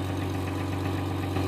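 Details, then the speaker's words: Jeep Grand Cherokee 4.0 (1999 likely not stated? ) "Yeah, I have four pinholes in it from emission shit, so it sounds terrible. Sounds like a fucking diesel Honda Civic or some shit."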